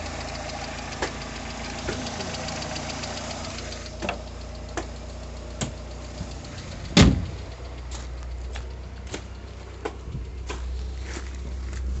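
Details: Cold 1990 VW Golf Mk2 automatic, carbureted Pierburg engine (1.6 or 1.8 stated), new plugs, leads and thermostat: steady, even cold idle with a few light background taps; running normally from cold.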